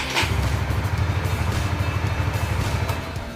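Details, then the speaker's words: Motorcycle with WDA touch-sensor alarm, alarm disarmed, started with electric starter: engine catches and settles into an even, low putter at steady speed, no knocks or misses; normal start and idle. "Kita on kan, kita sentuh, begitu disentuh motor aman ya, tidak bunyi alarmnya dan bisa dihidupkan dengan normal."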